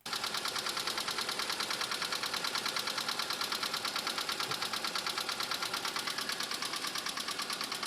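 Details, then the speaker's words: Subaru STI, 38,000 miles, Cobb Accessport, intake and axle-back exhaust, at idle: sharp, even metallic clacking about three times a second; loud knock at idle, rod knock suspected, oil pan not yet dropped to confirm. "pretty sure we got some Rod drop the oil pan see what it looks like I love the rithm it has it's just so good bro"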